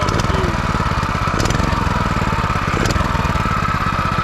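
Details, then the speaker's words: Brand-new 2021 Predator 212cc 6.5hp four-stroke single-cylinder engine, first start after adding oil: crisp, steady putter at even speed with no misses or knocks. It runs strong and clean. "like a beast yo that's all you need man this thing's a beast"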